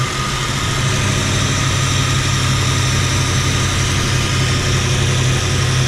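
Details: 1977 Jeep Cherokee Chief, warm at 195 degrees, has spark and fuel issues: deep, loping idle that never settles.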